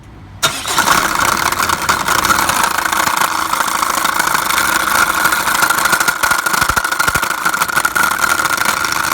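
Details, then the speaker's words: Chevrolet Captiva diesel, about 2012–2013: the engine starts into a loud, harsh run with a ringing hum and rattle from the front crankshaft pulley, which barely turns except at the center hub; failed crankshaft pulley (harmonic balancer). "เห็นไหมครับเมื่อกี้ที่ผมขีดไว้คือถ้ามันแทบจะไม่หมุนเลยนะครับแล้วก็เสียงดังมากมันก็จะหมุนเฉพาะแกนกลางไอ้ตัวเพลานะคะ"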